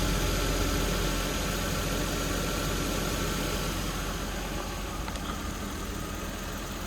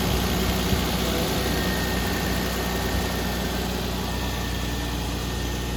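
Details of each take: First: 1992 Toyota Supra MK3 turbo, automatic, about 300K, revived after sitting over 20 years. Low idle with a slightly uneven beat, three or four pulses a second; rough idle. Owner suspects low fuel, with only three to three and a half added to an empty tank. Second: 1992 Toyota Supra MK3 turbo, automatic, about 300K, after sitting over 20 years, started after priming. Steady, even low rumble with no stumble or miss; normal, healthy idle.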